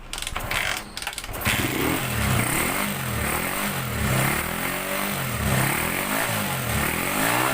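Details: Honda GL100 motorcycle after CDI conversion with home-wound ignition coil: small single fires after a couple of tries, then holds a steady putter with smooth throttle blips; starting and running properly now.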